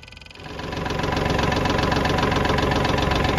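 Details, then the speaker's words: 2015 Kubota L3301 diesel tractor, standard transmission, 500 hours, stalling from trash in the fuel tank clogging the fuel line, after blowing out the line and bleeding air: catches and settles into a steady even clatter about four beats a second, no stumble. "right finally cranking everybody uh finally started up I guess what I'm gonna do is if it keeps running I'm gonna try to use it do some uh work around here"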